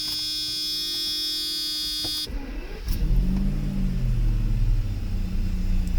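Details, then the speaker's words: Mercedes V12 (Egas module fitted), cold start: warning chime, starter catches, engine settles straight into smooth steady idle; no ABS/ASR lights, RPMs okay; healthy start. "Engine has been started, and we have perfect idle. We have no ABS ASR lights on, and RPMs are okay."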